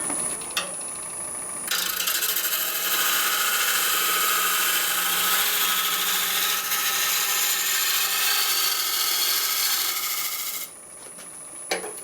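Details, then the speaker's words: Woodturning a large maple burl bowl on the lathe: smooth, steady tool hiss at even pitch for several seconds without pulsing; clean continuous cut, surface nice and flat. "Okay, so now if we stop that, get a nice clean cut across there, that's great."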